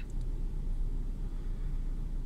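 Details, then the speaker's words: Renault Clio 2 1.4 16V at first cold start of the day, idle around 1000 rpm settling near 500: low dull wavering idle, car shaking, engine light flashing; scanner shows misfire on cylinder 1, coil and plug already replaced. Rough idle. "la voiture tremble et sûrement le témoin gestion moteur va clignoter pour un moment"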